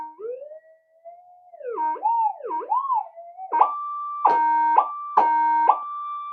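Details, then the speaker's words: Minelab GP-3000 metal detector under repair, with an oscilloscope on the suspect channel: a wavering tone, then three clean, steady, second-long beeps as a screwdriver crosses the coil, the normal target response. Sensitive mode still gives no audio. "it's doing exactly what it's meant to do."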